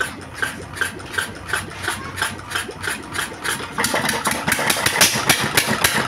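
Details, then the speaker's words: Diesel engine that revved up by itself despite new nozzles, after repair: even, steady thump about three and a half beats a second, no high-pitched note, more stable than before, smoke gone; normal idle. "ठीक है, डीजल मित्रों, अंत में diesel engine वापस सामान्य हो गया है , ध्वनि से ही सही, अब कोई उच्च पिच नहीं है"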